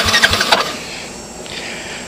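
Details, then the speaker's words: Yamaha Champ Moto-4 ATV (about 100–120 cc), sat about a year, in neutral though neutral light off: a few quick strong starter cranking bursts, pause and click; battery turns it over well. "the neutral light does not come on but I turned it on and hmm sounds like I got some batteries right you guys can hear that right"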